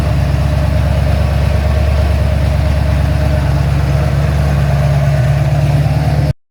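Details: Ford XC GXL under restoration with a 351 V8, warming up, with the choke later found too rich: a deep, even V8 burble with a steady loping beat and no knocks or ticks. A normal idle.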